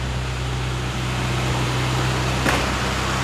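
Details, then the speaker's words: 1974 Mini Cooper idling: steady fast even hum that won't drop to idle because the misadjusted choke cable, pushed in, doesn't return it; must be dropped manually; throttle cable JB welded. "and then I gotta adjust the choke cable because pushing it in doesn't make it go down to idle so you got to come out"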